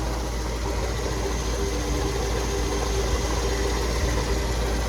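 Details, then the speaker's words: 1977 Dodge D-600 warm after a drive, radiator topped up with water and thermostat open and pumping: low, steady idle rumble with no knocks, misses or surging, and no oil leaking at the back. A healthy warm idle. "Thermostat opened up, started pumping, so that's a good sign."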